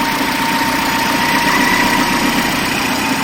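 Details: Peugeot 207 1.6 (NFU, Bosch ME7.4.4), previously a no-crank fault with starter relay code P0616. It now starts and idles smoothly and evenly with a steady hum and no knocks or misses. The engine is running normally.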